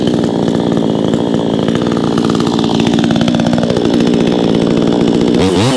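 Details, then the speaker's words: Vevor 20-inch gas chainsaw, freshly started with choke off, cutting a 4x4 and going through like nothing: strong steady two-stroke buzz holding pitch, no bogging or misfire, then a clean rev-out; normal cutting under load. "Tell you what, I'm impressed so far. I know that was just one cut. It's going through there like nothing."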